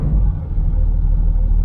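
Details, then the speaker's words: 2008 Land Rover Discovery 3 TDV6: a deep, smooth, even idle with no hunting or surging, giving a realistic oil temperature reading, and the earlier idle problem is gone. "This is incredible. We got a realistic oil temperature and the idle problem is gone."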